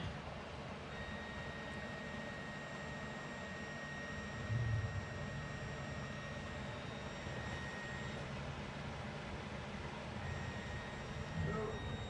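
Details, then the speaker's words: Coyote V8 swapped 2002 Mustang GT; fuel pump powered directly via brown-with-pink-tracer wire to test it; thin steady high whine holds even: fuel pump running normally. "test it out and see if we can apply power to the wire and get the pump to come on"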